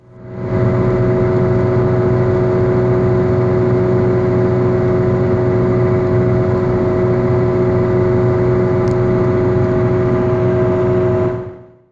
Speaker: at first it is a barely noticeable humming sound but over time it gets louder and louder in the Final Phase it turns into a loud very noticeable growling [Music]